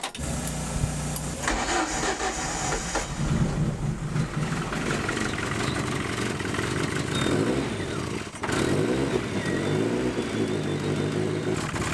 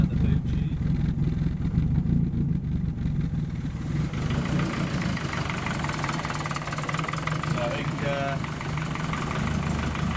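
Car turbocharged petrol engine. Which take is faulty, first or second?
first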